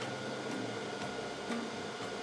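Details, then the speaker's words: Growatt Infinity 1500 power station (2000 W inverter, 1512 Wh battery) with AC charging speed set to slow in the app. Soft, even airy cooling-fan whoosh, about 50 dB at one meter, much quieter than maximum mode; normal. "Sound of the fans. So if you put it on slow, because you want it to be quiet, it's actually significantly quieter."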